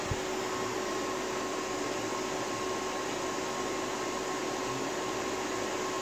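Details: APC XS 1300 UPS running on battery with rebuilt 24V pack of good batteries, around 22% load: steady fan whir with faint electrical hum, no rattles or surging; output voltage seemed low but unit works normally.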